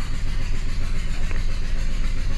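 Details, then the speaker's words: 2011 Chrysler Town & Country 3.6L Pentastar that overheated from a blown heater core hose, warping the head and causing compression loss and coolant intrusion; runs with a lumpy uneven pulse and flashing check engine light, misfiring. "yeah check engine lights flashing it must have a misfire"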